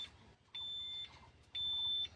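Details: BS6 Tata Signa truck with a check-engine "dosing quantity wrong" fault: steady high-pitched dash buzzer beeps, each about half a second with equal gaps, repeating; fixed at a workshop.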